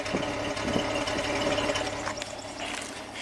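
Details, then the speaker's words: 2019 Jeep Cherokee V6, 115,000 mi, code P0305 (cylinder 5) despite six new injectors, idling in drive, heard at the exhaust: rough, cyclical soft stumble, not every revolution. Suspected low compression, with a relative compression test planned. "Definitely not happy. Boop boop boop boop boom. It's kind of cyclical. It's not every engine revolution. It's definitely very rough."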